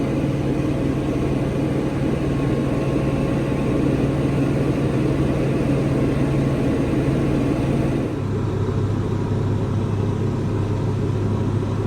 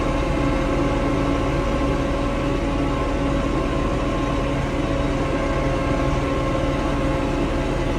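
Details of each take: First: Tractor diesel that went into limp mode (stuck at 1500 rpm, then died) from water-contaminated fuel; after cleaning fuel strainer, draining water separator, adding biocide and fresh diesel: steady even rumble, running much better; normal running. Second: Diesel tractor that went into limp mode, capped at 1500 rpm instead of 2500, and stalled: diesel clatter with an uneven, stumbling beat. Rough running from water in the fuel, found in strainer and water separator.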